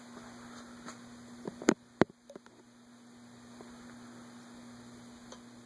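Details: Envirofan Gold Line 36" industrial ceiling fan, model 136F reversible, 2012, running in reverse at medium-low on a custom four-speed control: smooth, steady low electrical hum with a few switch clicks, no rubbing or wobble; normal.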